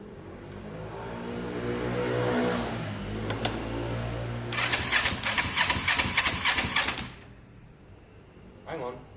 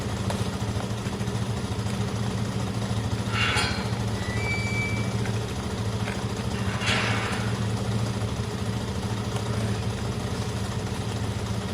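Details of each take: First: Motorcycle with no exhaust fitted and a just-installed battery, first crank attempt: the starter churns, then a harsh buzzing crackle runs about two seconds and cuts off. Sounds electrical; source not yet found. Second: i'm just charging the batteries up guys i know it's not ideal idling bikes for no reason well this one's very clean running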